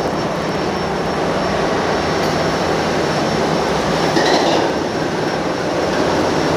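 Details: Ship's main engine after oil level check and lubrication priming, recorded in the engine room: loud, steady roar with an even, fast beat that never stumbles; running smoothly after start.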